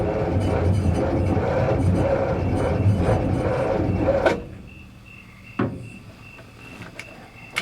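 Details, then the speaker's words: 1955 GMC with 350 Hydra-Matic, abandoned 30+ years, on its first start attempt. Sluggish, labouring crank at about three turns a second for four seconds, never catching. Battery running low. "whoa whoa whoa just turns over so dang slow though"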